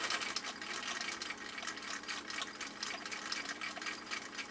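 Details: 1959 Husqvarna Viking CI-21A sewing machine after restoration, upper tension raised, cam C decorative stitch with long stitch length: quick, regular light clicking at an even rate, no grinding or binding; stitching smoothly.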